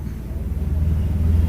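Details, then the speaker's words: Bajaj Platina single-cylinder motorcycle at idle, with timing marks aligned: quick, regular light ticking that pulses with engine speed; the valve rockers are found very loose and are to be adjusted, a valve tappet tick. "हाँ, इसमें रोकर बहुत ढीले हैं, एक अलग से साउंड आ रहा है इसके अंदर। ये देख सकते हैं बहुत ढीले हैं ये रोकर।"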